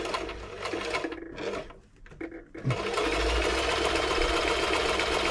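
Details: Toyota model 2640 sewing machine after service and plug fault fix, stitching test fabric: quick even chatter at about four stitches per second, steady and unforced once settled; normal running.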